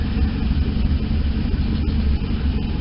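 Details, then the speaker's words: Truck at a deep, even idle with a mild rhythmic cam lope, holding steady without stumbling after the owner retuned it with HP Tuners and wrote it to the computer; it now runs somewhat properly and no longer dies at stop signs or stoplights. "this is really satisfying being able to tune tune this myself and it's nice to hear it run properly so somewhat properly now"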